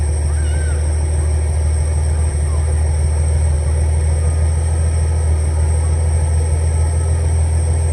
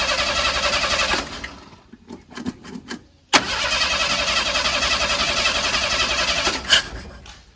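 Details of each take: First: 300 inline six, after carburetor rebuild (previously running too rich, fouling plugs) and idle adjustment: steady, even low rumble with no stumbles or knocks; normal smooth idle. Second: 300 inline-six in an old truck, running rough with fouled plugs; after carburetor rebuild and idle screw adjustment it fires and idles briefly, then stumbles and quits, catches again and sags away; failing distributor pickup coil cutting spark.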